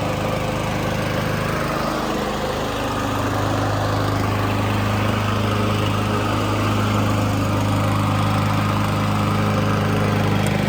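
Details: Honda GCV160 lawn mower after swapping the old carburetor for a cheap Amazon replacement carb, started with choke on: steady, even engine drone holding speed smoothly with no surging or hunting; runs well, better than before.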